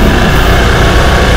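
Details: Honda Vario 110 scooter after water pump mechanical seal replacement (coolant had leaked into the oil, turning it milky, and the overheat light came on), coolant refilled, running about 5 minutes for a leak check: steady, even low idle with no rattles; runs fine.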